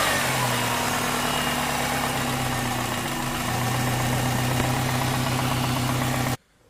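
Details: Compound-turbo Subaru driving after a boost leak hunt; a loose clamp is believed to be the cause. Steady, even drone and smooth pull with no hiss or whoosh of escaping air. Normal running.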